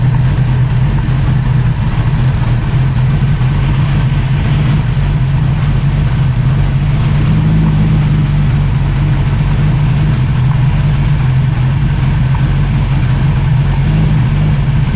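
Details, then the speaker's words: 1965 Mustang inline six with Pertronix ignition, idling too fast with the idle jet a quarter turn from bottomed: rough, lumpy idle with dropped beats, misfire. Oil found on spark plug 2 threads; timing suspected. "you guys have seen what I've done. It's idling rough. It's misfiring."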